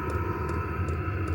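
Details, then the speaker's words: Vevor diesel heater used with a rooftop tent, running: low steady hum with a light tick about every 0.4 seconds from the fuel dosing pump. Normal clicking. "you can hear the clicking um that's just the fuel intake just a fuel pump you just click click click click click click"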